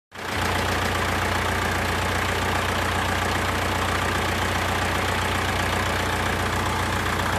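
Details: Mercedes W123 with an OM601 diesel, first start after an engine change. It fires within a moment and holds an even, steady clatter with no hunting or stumble; running normally.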